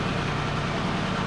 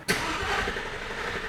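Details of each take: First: Porsche Cayenne Turbo after engine work and fuel rail refit: smooth, even idle with a steady low rumble and no knocks, ticks or misses; echoey garage, should settle further leaving open loop; normal idle. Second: Porsche Cayenne Turbo first start after rebuild, battery just reconnected, fuel rail had been off: healthy starter turns over steadily about three seconds before the engine catches and settles into a deep, rising run; extended cranking likely from fuel rail refill.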